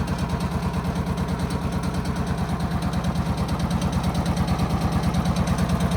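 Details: John Deere Gator CX/CS small engine after service with new air filter, fuel filter, spark plug and oil: steady, even putter at about three beats a second, no misses or knocks, no fuel filter leaks; healthy idle.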